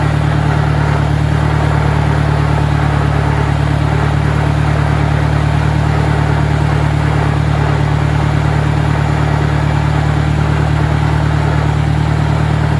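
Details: 1965 John Deere 1010, Stanley muffler, about 1000 rpm in second gear: a heavy, steady drone with loud gear noise riding on it; a noisy, worn transmission, significantly louder than the 1963's, cause unconfirmed.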